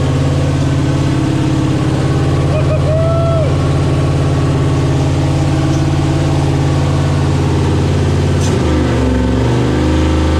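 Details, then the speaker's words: 6.0 V8 swapped into a CUCV, first start with idle set lowered to 650 rpm, coolant system not connected: steady, fast, even idle with a deep smooth drone that never settles lower; idle too high, owner suspects an air or vacuum leak. "all right uh it's still idling way higher than I want it to I'll have to figure out why maybe I mean there's good possibility that's an air leak or vacuum leak or something on this thing"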